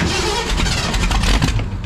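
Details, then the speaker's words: Ford demolition derby car, possibly water-contaminated fuel, in rain: starter churning with ragged firing that won't catch, popping back through the carburetor; owner suspects the starter is dying. "but then it pops through the carburetor no that doesn't sound good starter is probably dying"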